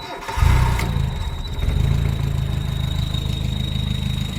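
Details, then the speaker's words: Carbureted truck, fan belt removed (alternator out of adjustment, belt glazed). It fires and settles to idle with a thin, steady high squeal that persists without the belt: clutch thrust bearing, checked by pressing the clutch. "Why do we want to squeak in there? Thrust bearing. Put your foot on the clutch."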